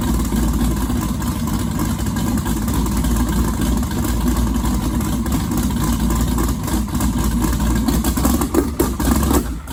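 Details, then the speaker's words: Twin-turbo 1969 Camaro pro mod, first start since the incident: loud lumpy note wavering and sagging before quitting; owner suspects out of gas, Holley VR2 fuel pump in question. "okay so it sounds like let me tell you why it's out of gas so i don't feel uh don't feel as bad as i did originally"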